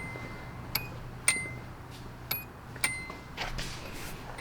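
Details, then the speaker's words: Bone-stock Nissan 240SX S13, door open: clean, bright dings, about four over five seconds, each fading evenly. The factory door chime works normally. "this car is kind of awesome though because everything works including the factory door chime"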